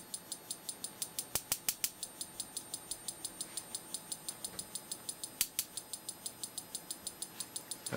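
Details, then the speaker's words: Simplex 35mm cinema projector xenon lamp ignitor on the bench, step-up converter pulsing at roughly 300–500 Hz, only about 8 kV against a possible ~8.3 kV firing voltage: sharp snapping clicks about four per second, some loud or doubled, some faint; spark gap misfiring unreliably. "you hear the pulse frequency of the stepup converter sounds like maybe 300 or 500 Herz definitely we're not getting reliable uh firing on the spark gap we're only getting maybe eight kilovolts out of"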